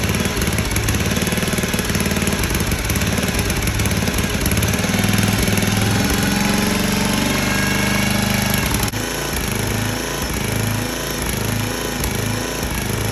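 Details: Small engine on a 34-ton log splitter, bought as supposedly blown up, restarted after cutting back and reattaching a degraded, leaking hydraulic return line; holds a steady, even idle chug with no knocks or misses, settling slightly after a few seconds; runs fine.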